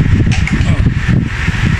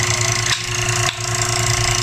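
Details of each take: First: Old-style KDK wall fan after capacitor replacement, running on speed 1: low, soft whir with even airy rush and no rattle or buzz; smooth and quiet, the noise is gone. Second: Old-style KDK wall fan running before repair: steady motor hum with a continuous buzzy rattle from a loose rotor with bearing play; the rotor noise won't go away though the motor is still good, so the capacitor gets replaced.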